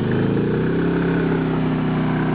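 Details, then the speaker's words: Honda EU2000i inverter generator stepped up to a 1200 W load, heard from about 6–10 ft. Smooth, steady engine drone at raised speed with no misses or rattles; noticeably louder but still easy to talk over; healthy. "you could hear the inverter telling the generator to speed it up and the noise level actually went up quite a bit still would be very easy to talk over at 6 feet and at 10 feet"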